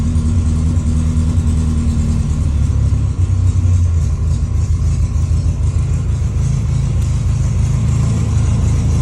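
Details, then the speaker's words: 1957 Porsche 356 Speedster widebody replica with carburetors, cold start after priming with throttle squirts, then revved from the rear: deep, even air-cooled four rumble, revs swell and settle cleanly with no knocks or misses; runs healthy. "I'm going to go and rev it up. If you hear the power band,"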